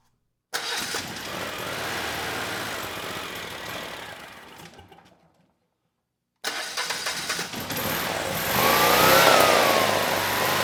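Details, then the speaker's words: Generac standby generator, 999cc engine reported for low oil pressure shutdown but gauge showed 50 PSI: engine fires, winds down, restarts and settles into an even steady run with no knocking; idle set screw can't hold throttle open enough. "All right, that sounded pretty good. Uh but the idle set screw not holding the throttle open enough."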